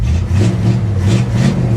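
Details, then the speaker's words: 1959 Dodge Coronet V8 after gasoline had been dumped into the engine oil, fuel system primed: deep, even V8 burble with steady low rumble, no knocks or misses; sounds much better, normal running. "that sounds much better much better she sounds much happier now doesn't she"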